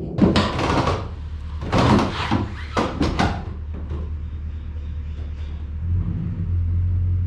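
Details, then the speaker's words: Bass boat tandem-axle trailer leaf suspension before a Dexter EZ-Flex kit install: clusters of sharp pops and creaks in a slow, tight garage turn over tow-vehicle drone, despite recent lubrication. Likely dry, worn shackles and equalizer. "so not pretty not as bad as it can be because i just recently sprayed some uh some lubricant on there to uh get it to stop crinkling poplin going down the road"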